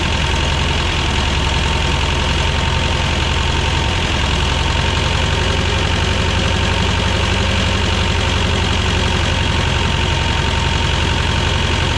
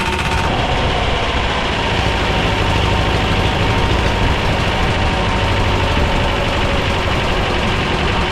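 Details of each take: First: 1985 Belarus 250AS diesel tractor, revived after sitting 8–10 years: steady even clatter, settled idle, no misses or stumbles; running normally. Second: Belarus 250AS diesel tractor, about 1985, after sitting for years, first-stage filter refilled and lines bled: loud, coarse clatter holding one low idle that never climbs; runs but won't rev on its own, suspected fuel starvation.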